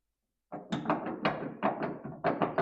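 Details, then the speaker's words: 1970s Plymouth Duster door hinge, door removed, swung by hand before rebuild: loose hollow clunks in uneven bursts of about eight; worn hinge pins and bushings, to be punched out, drilled and fitted with new bushings and pins. "That's no bueno. No good. So, these are the pins here and here that we're going to punch out this way. And we'll drill, put our bushings in, and this will be good to go."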